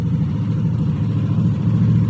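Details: 2021 Yamaha NMAX 155 single-cylinder scooter at a steady, even idle with no misfires, rattles or squeals after repair of a no-start fault, traced to a blown 7.5 A signal fuse despite a 99% battery.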